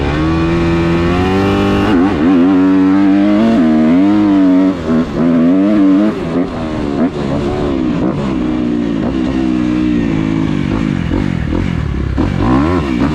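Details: Kawasaki KX250F fuel-injected four-stroke dirt bike after replacing the clogged fuel pump filter/strainer that had caused bogging, backfiring and lean running: crisp revs climb and drop cleanly with the throttle, no bogging, popping or misfire; normal revving.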